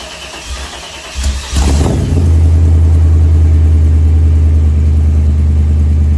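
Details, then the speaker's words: Hearse, first startup in a year with newly finished exhaust and new mufflers: brief cranking, quick catch and flare, then deep steady rumbling idle about three beats a second, sounding healthy. "Oh, guys, I cannot tell you how good that feels to hear this thing run. I mean, just, oh. And it sounds good. She's got some rumble to her."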